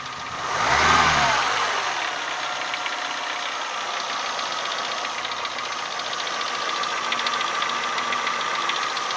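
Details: Renault Symbol 1.4 8-valve engine, hot: after a quick blip it settles to idle with a light, regular tapping about three or four times a second. The knock is absent when cold; its source is unconfirmed.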